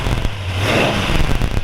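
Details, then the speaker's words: 1938 Ford two-door bustle back sedan retro-rod with flathead V8 and 5-speed, freshly started: quick clean throttle blips with sharp pickup and even exhaust note; healthy throttle response, normal revving. "healthy good throttle response out of a flatty"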